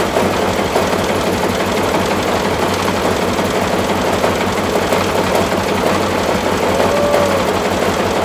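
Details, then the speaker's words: Massey Ferguson tractor, first start after restoration work, after fighting for spark at the distributor points: loud, rough run with heavy, uneven banging about three times a second throughout, like something beating against something; cause unclear. "I don't know what the hell all that banging is the F like something beating up against something anyhow we're going to call that a run"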